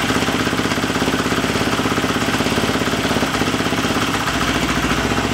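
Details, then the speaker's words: Husqvarna FE350 converted to FE 366 idling in the garage after a full rebuild, with the spark plug wire reseated and idle raised slightly: even, steady four-stroke idle with a regular beat, no misfires or tapping. Healthy idle. "we don't want to run it a lot in the garage here, so we don't want to get poison here, but yeah, she runs and that's the most important. Everything is fine."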